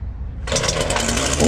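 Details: Ryobi RY3714 37cc chainsaw with 14-inch bar, after carburetor repair for no-start/running only on choke, new air filter and fresh gas, started on choke and prime: steady buzzy two-stroke run holding on throttle without dying, sounds healthy.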